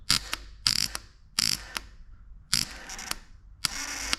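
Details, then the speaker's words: 2009 Yamaha Raptor, starter solenoid tested by touching positive and negative leads: sharp dry clicks in bursts of two or three with no cranking; solenoid works, but the dead battery cannot spin the starter. "that's all in that works you can hear it tripping and it's trying to fire the startup but the battery's dead so we know that that works so we're in good shape"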